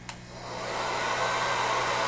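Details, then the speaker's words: Standard bladed-rotor hair dryer compared at equal airflow with an otherwise identical porous-rotor dryer: steady rushing airflow with a high, constant fan-blade whine; the two differ in level and pitch; normal operation. "Again, what you can hear is a difference not only in sound levels but also in pitch."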